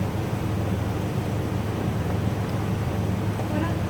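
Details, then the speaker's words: Jeep Grand Cherokee replacement aftermarket window motor and regulator, with plastic carriage, powered up before being attached, replacing an 18-year-old failed unit: a smooth, even whir with steady low pitch and no grinding or clicking as the carriage moves up. Normal operation. "It's going up. I can see it moving. And we have movement of the carriage."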